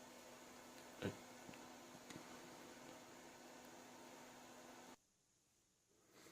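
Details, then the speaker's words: 2011 iMac after its faulty hard drive was replaced with an SSD and a modification was made: only a faint, even fan hum with no roar or surging. The cooling fans are running normally and quietly. "I just did the the money modification and we can hear how quiet it is now"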